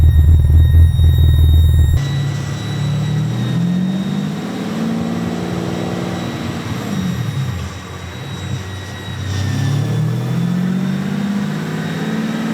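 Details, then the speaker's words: Aston Martin V12 in a Foxbody Mustang, on the dyno during a hot tune: engine swells and falls under load with a thin, steady high squeal from the drive-by-wire throttle bodies' PID hunting, thought to have been worsened earlier by big vacuum leaks. Throttle body whine. "with the PID, which is like the frequency of the drive-by-wire throttle bodies. That squeal, that whine you hear, that's what that is. I think it was compounded last time by pretty big vacuum leaks, but he's going to dial it in."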